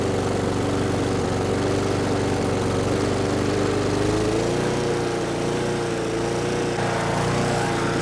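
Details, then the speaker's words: Brute mower with Briggs & Stratton Classic single-cylinder engine, dirty, just got running: pitch sags and climbs unevenly; choking the intake didn't change it, not the carburetor but governor hunting from a missing governor spring. Engine surging. "Alright, so the engine's running now, but it seems to have a bit of a surging problem. That's usually fuel related, carburetor related."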